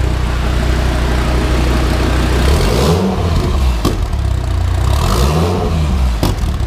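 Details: 2016 Dodge Viper twin turbo build with scavenge pump fitted, start-up: strong deep V10 rumble rising and falling with throttle blips, no knocks or rattles; normal running.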